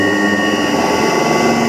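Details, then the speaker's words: Motor driven by a CHF100A VFD with carrier frequency set to 1 (low): loud steady high whistle near 2 kHz over the motor hum; noise fades when the carrier frequency is raised to 8 and higher. "अब मोटर की आवाज़ सुनो। ये देखें मोटर की काफ़ी ज़्यादा आवाज़ है।"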